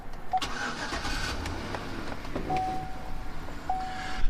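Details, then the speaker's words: 2012 Chevy Tahoe with bi-fuel CNG, starting: brief crank, then catches and settles quickly into steady idle on regular gasoline; it always starts on gasoline, owner thinks it must warm up before CNG switch-over. Normal start. "So it always starts up on regular gasoline. It won't ever start up on CNG because I think maybe it needs to warm up a minute, because if it's cold, you can't actually switch it over to the CNG like right away."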